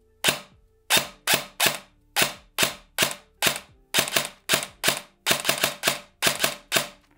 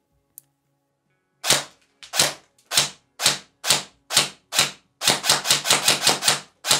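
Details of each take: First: ICS DD MK18 airsoft S-AEG with 3rd-gen EFCS MOSFET, precocking on: very loud, sharp piston slaps in single shots and short bursts, gear screech not audible; cycle fine. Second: ICS DD MK18 airsoft S-AEG with 3rd-gen EFCS MOSFET, precocking off, firing 0.30 g BBs into a box: sharp snapping singles then a quick string, each with a shrill metallic gear squeal; gearbox screeches strongly.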